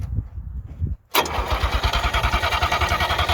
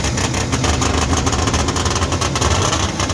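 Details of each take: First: 1958 DKW pickup, three-cylinder two-stroke, first start attempt in a long while on a temporary gravity-feed tank: the starter turns the engine over evenly for five seconds, then stops without it firing. Cranking, no start. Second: 1958 DKW pickup with a front-wheel-drive three-cylinder two-stroke on premix, first start in a long while. It gives a crisp, rapid ringing buzz like a snowmobile, with even firing pulses and no knocks. Normal running.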